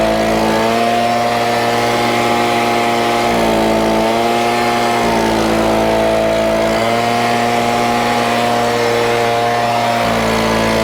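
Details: Stihl BG50 handheld gas two-stroke leaf blower, freshly started and warming up: a loud, even high-pitched buzz holding steady with brief small speed dips, no misses or rattles; sounds good and is running healthy.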